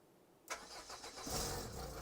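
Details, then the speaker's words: Renault Clio Baccara that previously would not start, after fitting a correctly sized starter battery: starter catches within a second and the engine fires straight into a steady idle; slightly rattly exhaust noted. "it does which is remarkable and that's not a word i've used for a long time"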